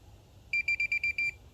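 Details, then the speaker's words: Minelab Pro-Find pinpointer tested on a pin head: six short, high beeps in a broken run. It detects the small target only intermittently. "pinhead again picks it up but it's a little bit uh i don't know intermittent"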